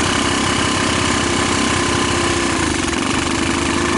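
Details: Rapidity GY6 150cc ATV quad with PZ27 carburetor and a portable GY6 CDI fitted, idle raised: uneven, lumpy beat with wavering pitch, struggling to rev fully and prone to stalling; cause later found to be misadjusted valves.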